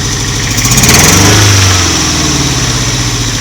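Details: Toyota MK1 MR2 at idle: loud, uneven, shaking beat about four pulses a second with a brief rev, like a cylinder dropping out; codes 4 and 6, injector resistance 3.6–4 ohms (spec 1.5–3), no vacuum leaks found; rough idle.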